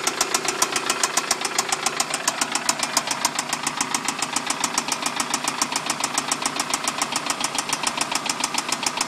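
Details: Toyota Solara just after startup: a sharp, even knock about three or four times a second over a thin-sounding engine; cause unknown.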